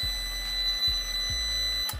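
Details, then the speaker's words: Prolink IPS 2500 UPS/inverter showing error F5 (fan fault) at zero load after repair of F0 error, burnt MOSFET and faulty PWM IC; steady high-pitched alarm tone, and the fan hums abnormally; fan to be cleaned. "Jadi, kesalahan 5 menunjukkan bahwa ada masalah pada bagian kipas. Baiklah, sekarang. Jika kita mendengarkan, suara kipas itu berdengung; Kedengarannya tidak benar."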